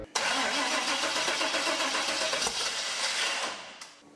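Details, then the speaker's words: 1956 Pontiac 3/4-ton LS-powered mud truck, fuel pump jumper-wired and no coolant in it: it fires straight into a loud, busy run, holds about three seconds, then fades and dies because the VATS anti-theft is still hooked up. "The VATS is still hooked up, so it's not going to run very long."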